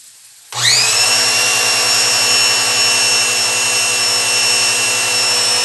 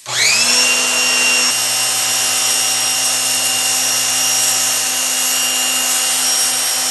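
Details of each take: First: Pressure washer with no pressure at the outlet: motor holds a steady high whine with a fast even pulse but builds no pressure. Cause is the pump inlet valve cover, to be replaced. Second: Pressure washer with a faulty total-stop bypass, running on a direct-wired switch with the water connected: motor whine spins up fast and holds an even pitch with no surging. Runs normally.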